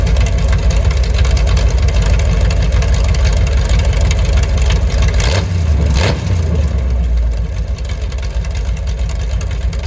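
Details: Mopar 383 V8 with a roller cam and lifters after flat tappet lifter failures, mufflers off, about 900 rpm idle: loud open-exhaust lope with an even, steady pulse. No ticking or knocking, healthy mild street-cam idle.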